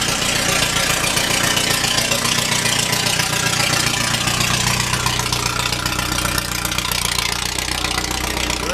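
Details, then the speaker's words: Restored Lotus just finished, started in neutral with no choke used; steady, even idle with smooth low rumble and no knocks or misses, runs cleanly. "there any kind of choke on it? Really? Just runs that nice with no nothing. That is fantastic."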